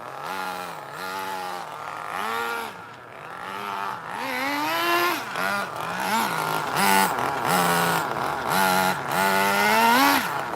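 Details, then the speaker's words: 2002 Tamiya Terra Crusher 1/8 nitro monster truck with 2-speed: engine revs up and down in quick bursts, pitch flaring without steady pull; transmission slipping and very weak clutch springs slipping, idle stays running. "could hear the transmission of slipping that's what i'm then demonstrating plus my clutch springs are super weak and they're slipping but you can't kill that idol though"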